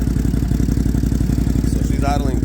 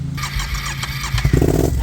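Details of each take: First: Engine idling evenly after new spark plugs and idle air control (bypass) valve installed; starts first try, steady idle pulse with no ticking inside the airbox, no longer firing on one cylinder. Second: Twin-cylinder machine idling around 750 rpm with the old idle bypass (idle air control) valve, new spark plugs fitted without effect: rough, lumpy idle with weak uneven pulses, firing on one cylinder; fixed by replacing the idle bypass valve.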